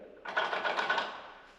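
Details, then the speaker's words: 21-year-old BMW K1200LT motorcycle, shifter worked by hand after rear shock install; brief rattly clatter of light clicks from the gear shift linkage, which is loose and should be tight, due for tightening and lubing. "it's going to be lubing the linkage that is connected to my shifter you hear that let's do that"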